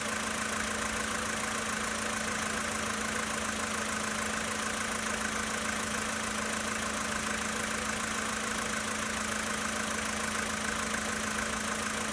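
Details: 2013 Volkswagen Polo Sedan Sochi Edition, 65,000 km, cold engine at idle: a light, fairly regular tapping knock, about two per second, over the engine hum; engine knock at idle.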